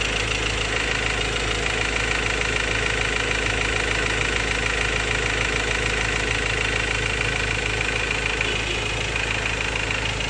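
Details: 2016 Ford Ranger XLT 2.2 Duratorq diesel, 4x2 manual, at idle: hard regular clatter about three times a second; suspected fuel knocking or clogged injector, unresolved by dealer, cause not confirmed.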